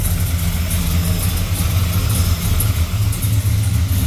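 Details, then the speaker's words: Blueprint 454 small-block Chevy (about 600 hp) in a Holden Kingswood at idle: a low, even, soft burble with no lope, much quieter than the previous 308. A few exhaust leaks are present, possibly at the flanges. "It sounds good, but it's just a lot quieter than the 308 at idle."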